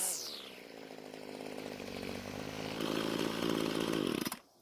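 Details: Homelite string trimmer two-stroke that wouldn't start; after stalling when warm from lean low-speed fuel, L screw turned out about a quarter turn, H screw adjusted, idle lowered; steady buzz rising in pitch when throttled, then cut off, running clean without stalling.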